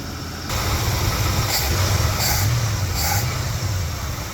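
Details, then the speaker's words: Free plow truck V8 running warm with a fast, busy idle and a steady low drone, as if stuck on choke; idle speed too high; cause not confirmed. "like it's on forever choke"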